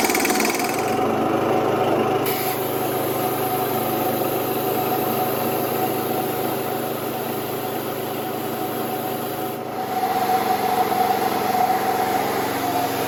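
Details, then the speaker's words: Small compressor engine running on a spark plug borrowed from a Harley, black plug, possibly some water in it: steady, even, fast, light running with no misses or knocks; sounds healthy. "It sounds like your Harley too. It does, doesn't it?"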